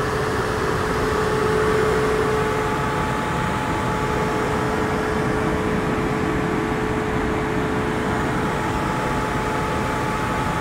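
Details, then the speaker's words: Tesla on a Hawthorne, CA V3 250kW Supercharger, started at 4% battery and charging near 250 kW: a steady, loud fan roar with a faint whine. This is normal battery cooling during peak-rate charging. "now the charge is getting really really loud again like last time I don't know if you can hear it"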